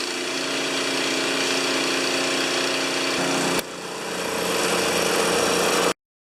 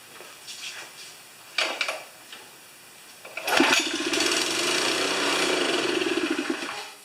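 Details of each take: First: Honda GX160 engine on a wheelbarrow air compressor (customer suspected a governor fault) running smooth and even at speed while pressurizing, brief drop mid-clip then pulls back up before shutoff; normal running. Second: Honda GX160 on a wheelbarrow air compressor: it catches on primer gas, runs a few uneven seconds, then fades and stalls. This points to fuel starvation; the tank holds debris, including flies.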